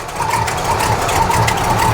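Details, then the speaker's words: Squarebody 454 big-block, cold, after belt upgrade and retightening for big aftermarket alternator: smooth even idle with steady low rumble, no squeal or chirp, belts running relatively true; normal idle. "i love that sound it sounds so sweet sounds like it's got a big can but it doesn't it's just cold belts are all there running relatively true"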